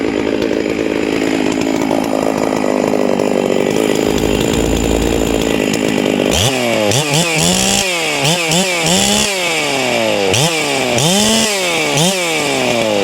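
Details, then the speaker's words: Hypo 660 chainsaw build with port work and a homemade triple-port muffler. It fires up and blips through quick, clean revs with no bogging, snappy for a big saw. Normal running. "it's real snappy for uh with the port work and everything it's real snappy for a big saw sounds good"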